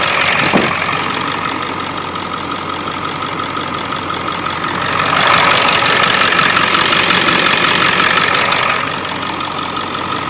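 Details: 7.3 Powerstroke diesel at idle with a brief rev: sharp, quick ticking over the idle that grows louder with revs, from an up-pipe exhaust leak.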